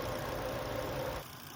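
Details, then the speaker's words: Wife's Volvo driving through the neighbourhood at operating temperature after a cheap repair, check engine light still on: a steady, even engine hum with no weird sounds. "But, so far so good. I don't hear any weird sounds."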